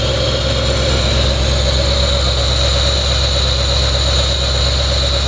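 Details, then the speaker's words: Brand-new small-block V8 in a truck, first start with throttle body installed and temporary ignition wires: a steady, even idle with a smooth low rumble and no knocks or misses. "well this is a brand-new engine I'm just gonna let it idle for a second"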